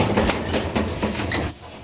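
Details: Kenmore Elite HE3T dryer (M#110.85876401) running; rapid, regular thumping of about four beats a second from bad drum rollers, at least one confirmed. All four rollers, belt and tension roller replaced with kit 4392067.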